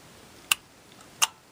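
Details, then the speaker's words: 1961 Seeburg AY100U jukebox Tormat electrical selector unit: two sharp, dry clicks about 0.7 seconds apart as the bar behind the switch mechanism swivels and its contacts snap over; normal selector contact clicking. "that bar swivels back and forth like so hear that clicking that's these contacts right here clipping so when we push one of the front panel buttons that bar swings back and energizes that button"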